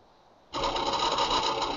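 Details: Paintbox floppy drive, DX jumper moved to position two, read attempted via PC with OmniFlop driver: sudden loud, fast, steady buzzing chatter as the head steps and seeks with no disk seated.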